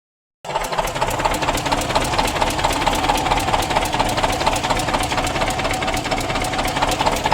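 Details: Heavy-machinery diesel at steady idle with a sharp tap repeating about twice a second; top-end tapping knock. Mechanic points to a washer that has come down; cause unconfirmed.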